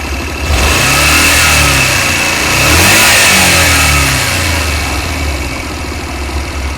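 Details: Honda Varadero 125 motorcycle engine revs up and settles back smoothly with no metallic knock; the loud knock appears randomly below 5000 rpm (at start, riding or after) and randomly disappears, as here.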